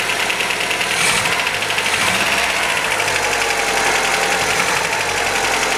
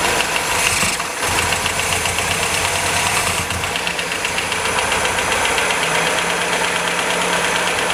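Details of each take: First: 1977 MGB running properly for the first time in about six or seven years after a rough timing adjustment, with good oil pressure. A fast, light metallic ticking rides over a steady idle: tappet rattle to be fixed by adjusting the valve clearances. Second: 1977 MGB off the road for many years, with the timing only roughly set; fires up and holds a fairly steady, even run with no misses but some tappet rattle; normal running.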